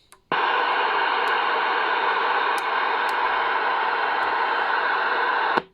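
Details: Shogun UK 40 CB radio after repair of being stuck in transmit mode, 4 W high and about half a watt low output, receiver audio checked; steady even hiss with no crackle, dropouts or squeal; receiver working normally.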